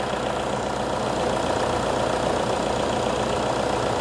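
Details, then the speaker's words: Toyota Innova diesel 2KD engine after rebuild, first start at idle before 4–5 hour break-in run: steady, even diesel clatter with no knocks or misses, sound fairly clean; normal diesel idle. "Alhamdulillah dari mesin sudah bisa hidup kembali. Suaranya pun juga cukup bersih."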